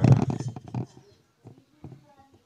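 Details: Polytron active speaker, powers on but makes a rumbling "blep-blep" sound; loud boomy distorted rumble under a second, then quiet; power-supply voltage found fluctuating.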